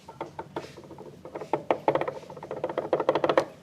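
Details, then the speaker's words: Fairly new Honda PCX scooter, shaft rocked by hand; uneven light clicks in every direction (forward-back, up-down, left-right): free play from worn, damaged bearing, source of klotok noise. "Jadi maju mundur bunyi depan belakang bunyi, atas bawah juga bunyi. Berarti semua arah ini bunyi ya."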